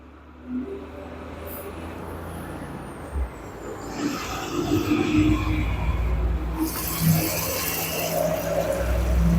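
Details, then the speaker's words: Samsung 7 kg front-load washer after carbon brush replacement, on a daily wash cycle: water rushing in over a low, even motor hum with the drum turning smoothly, no grinding or knocking. Normal wash cycle. "Now machine running, no any problem. See, it is machine running without any problem."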